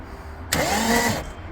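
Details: TVR Tuscan after 14 years under a cover, new battery and fuel pipe fitted, throttle flaps freed with WD: a short burst of fast, even starter whirring with no firing; engine cranks without starting.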